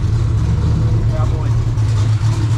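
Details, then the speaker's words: 2000 HP Ford Mod motor race car starting, being warmed toward 140°: deep, loud, steady idle with an even lumpy pulse and no knocks or ticks. It sounds healthy. "Oh, there it goes. We're good. Oh, she starts, Josh."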